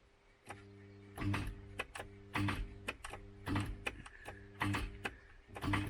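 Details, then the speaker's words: MK3 Ford Cortina with seized Kent engine, starter tried to free it: short clunks with brief hum about once a second, never turning over; starter pinion completely locked onto the ring gear. "that's seized you can hear that trying to that's the starter motor completely locked onto the ring ring gear"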